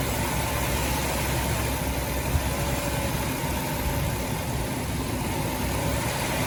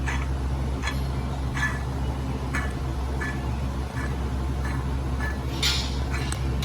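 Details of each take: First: 2006 Dodge Grand Caravan 3.3 L V6 after water pump replacement (old pump leaked onto belt, failing bearing caused belt squeal and overheating), coolant refilled and bleeding air: steady, even idle hum, no knocks or ticks; normal idle. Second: Dodge Grand Caravan water pump removed, turned by hand near the microphone: rough, scratchy ticks about once a second over a low hum; failed bearing, pump also leaking from weep hole, caused belt squeal and overheating; replaced.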